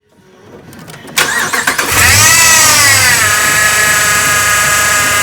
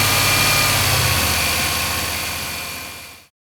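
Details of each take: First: 2011 Ram 1500 Hemi V8 at 175,000 miles starting and idling with a loud high whine rising with rpm. A new belt, power steering flush and power steering pump didn't help; replacing the idler pulley bearing cured it. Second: 2011 Ram 1500 Hemi V8 at 175,000 miles idling evenly with a steady low pulse after the whining noise was cured by replacing the idler pulley; new belt, power steering flush and new pump had not fixed it.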